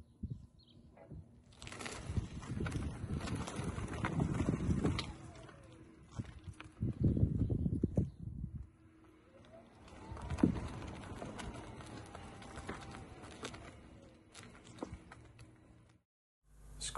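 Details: 2019 Tesla Model 3 Performance after the fix to the driver's-side front upper control arm/ball joint that caused squeaks over bumps. Slow drive over bumps gives low road thumps with no squeak from the front suspension.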